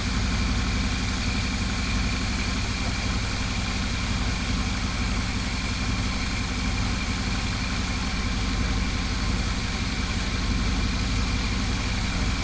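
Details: GMC Yukon XL V8, 6L80E transmission after replacing shuddering torque converter with billet unit, idling: low steady rumble with even beat, no knocks, clunks or shudder; driver-side exhaust gasket at Y-pipe noted not fully sealed; calm idle.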